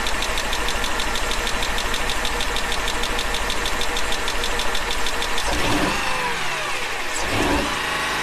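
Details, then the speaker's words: 2004 Mercedes-Benz E500 wagon, all-wheel drive, 330K miles, at idle after a suspected sticky lifter was replaced: lumpy idle with a recurring stumble in the exhaust pulse; misfire persists, owner now suspects a burnt valve, not confirmed. "obviously i have a burn valve or something of the sorts because that did not fix it the lifter did not fix the problem"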